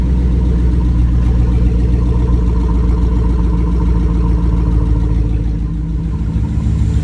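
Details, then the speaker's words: GM 5.3L V8 after rebuild with a replacement lifter for a bad one, idling: steady, even low rumble with no ticking or knocking; running perfectly, lifters working fine, normal idle. "right it's running perfectly now that's what I want that's what we're looking for solid lifters are working fine"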